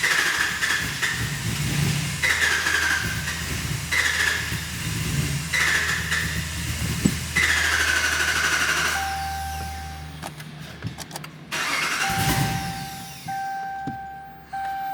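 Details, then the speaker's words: 2019 Ram 5.7 no-start with code P232A, where the PCM requests engine shutdown. Short cranking bursts briefly catch then die, with warning chimes: it wants to start but something shuts it down. Fuel pressure check planned. "It wants to start, but then something is shutting it down."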